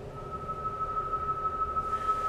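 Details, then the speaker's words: JFET Hartley oscillator VFO built with a J310 JFET, heard through an HF rig: thin whistle near 1.2 kHz wavering in pitch over hiss; extremely unstable and vibration-sensitive, frequency shifts when a hand nears the coil. "but it's extremely unstable watch what happens to the pan adapter I'm gonna end the sound when I bring my hand next to the coil"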